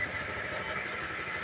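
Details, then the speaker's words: Suzuki motorcycle after overhaul for dropping kicker and noisy engine (suspected pilot/needle bearing): steady, even idle, no knocking or rattling. "mayuming Mayumi niyo na ganda po ng tunog mga idol talagang quality"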